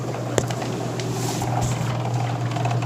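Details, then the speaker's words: LG washer-dryer combo in drain-only mode (spin speed set to 0), leak being investigated; steady low pump hum with irregular rattles and clicks, drain pump sounds rattly and worn, though not considered the leak cause. "Okay, you can hear the drain pump going. I'm gonna go look. The drain pump doesn't sound very good. It sounds pretty rattly."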